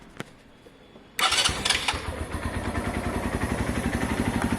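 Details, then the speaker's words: Keeway/Benelli 125cc single after carb clean and service, started on first turn for warm-up; settles into an even idle of about four beats a second, no knocks or rattles, normal start and idle. "it's safe to actually idle for a minute at the moment so let's get this thing warmed up it should start first turn again"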